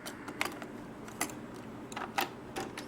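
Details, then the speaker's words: Aiwa AD-F770 cassette deck: the tape loads but won't play or reverse, and the feed reel doesn't turn. Sharp, irregular clicks over a faint hum as the transport tries to reverse. Attributed to a bad idler tire needing cleaning and sanding. "You see, the tape loads, and then you see the feeding reel is not turning. This reel right here is not turning, and then when I try to reverse,"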